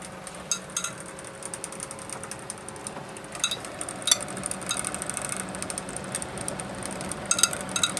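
Quiet fan whir with sharp irregular ticks and clicks every second or so, the sound of a worn, wobbling fan bearing.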